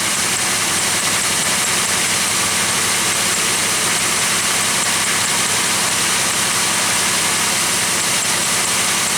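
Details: Idle of a Pontiac Aztek, which starts quickly even on cold mornings and is charging at almost 14.7 V while its battery is tested; even, steady idle under a loud hiss, no knocks, misses or squeals, sounds healthy.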